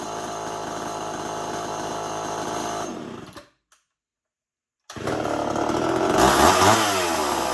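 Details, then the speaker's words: Homelite XL 12 two-stroke chainsaw, hard to pull and run when hot, test run after adjustments: steady idle buzz, brief cut-out, restart and clean even revving; running properly. "So, I finally got this fan running the best I could."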